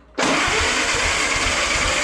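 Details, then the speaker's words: 1929 Ford Model A engine, supposedly a good runner: steady cranking with dull, even thumps about four a second, never catches; spark at the coil wire but none out of the distributor cap, rotor suspected; crank no start. "nothing all right so I've got spark at the coil wire which I'm going to check one more time yeah plenty of spark at the wire nothing out of the C cap well that would be why it won't fire up"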